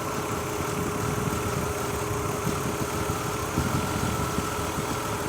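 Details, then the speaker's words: 2003 Mazda Tribute V6 at idle, coils being unplugged one at a time: a steady hum with an uneven low stumble about every second, a misfire. Oil from leaking valve covers is making the coils arc, and the valve covers need replacing. "didn't get much worse if any picked up a little but it goes right back to missing"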